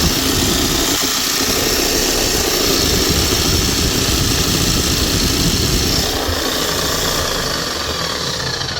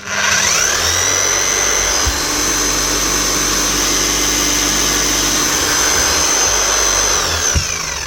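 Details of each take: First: Bosch hammer after bearing change and new brushes: loud hammering with rough crackling hiss over the motor whir, uneven splutter; motor suspected sparking inside, otherwise running smooth. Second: Bosch GSH 5 CE demolition hammer (2020 machine) after fitting new brushes: motor spins up to a steady, even high whine, then winds down; speed control working, slight brush sparking expected with new brushes; runs normally.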